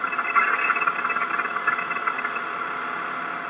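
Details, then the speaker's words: Caterpillar 3126B HEUI diesel at low idle during the injection actuation pressure (IAP) test, desired pressure about 870 psi: even, light diesel clatter with small natural variation and no odd knocks; engine running normally, showing expected noise and variability. "This engine is running normally and illustrates both the expected noise and variability of a properly running engine."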